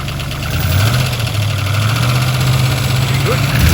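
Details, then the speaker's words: Rebuilt V8, fresh parts, cold start: steady low idle, even rumble, only a very slight tick while cold; near normal. "that's not bad that is not bad still a very very slight there but it is cold"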